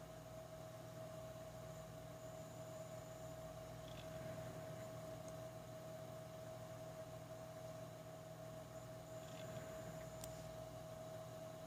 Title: Zotac GTX 1080 AMP! Extreme fan rattling noise